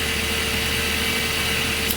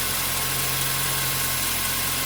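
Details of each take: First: 2008 Mazda 3, nearly 200,000 km, in neutral after replacing the serpentine/drive and AC belts for belt-area noise: quiet even idle, soft steady hum, no squeal or chirp; the noise is gone. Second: 2008 Mazda 3 manual, nearly 200,000 km, idling: thin steady chirping squeal from the front of the engine over an even idle, likely from the worn serpentine and AC drive belts, which the owner then replaces; worn drive belts.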